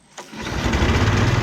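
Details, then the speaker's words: Trail Hog commercial mower after tune-up with new carburetor, spark plug and air filter, fresh non-ethanol fuel: quick pull, catches at once and settles into steady, even low putter with no misses; runs normally. "Woohoo! Look at that. Just listen to that. Runs like a charm."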